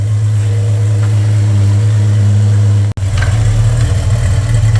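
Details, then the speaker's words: VJ Dodge ute after front suspension rebuild and new custom two-inch exhaust with proper muffler: steady, even low rumble at idle with deep mellow exhaust note, no knocks or misses; tone expected to change slightly once exhaust packs in; healthy idle. "it doesn't sound too bad so once it's driven for a little while uh the exhaust will sort of pack in a bit and um yeah she'll she'll change tones slightly but it doesn't sound too bad for a two inch exhaust system with an actual proper Muffler"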